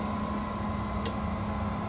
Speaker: now here the pump running in normal operation this is currently for me like speed two that would come up on this time of year no strange noises now the fan is cleaned out it sounds brand new